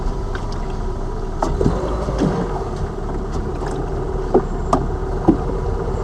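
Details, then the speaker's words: Lada Vesta Cross over bumps after dealer warranty replacement of front shock absorbers/struts (right SAAZ shock); recorder plus cabin phone; road rumble, dull soft thuds, no metallic strut-mount knock; knocks gone after replacement. "соответственно слева мы поменяли слева стуки вот эти дурацкие пропали справа поменяли стойка амортизатора и здесь же звуки пропали"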